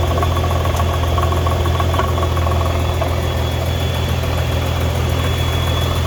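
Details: 2015 Nissan GTR R35 at idle, being considered for purchase: steady low idle rumble with a faint uneven rattle and intermittent clunk felt from the seat; owner suspects gearbox, clutch or exhaust, source not confirmed.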